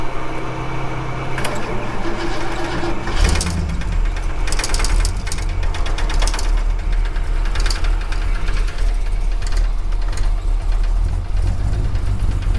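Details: Cold Ford XF Falcon 351C V8 with the fuel system reset and timing not yet set: long uneven cranking, then it catches into a steady rumbling idle; a hard cold start.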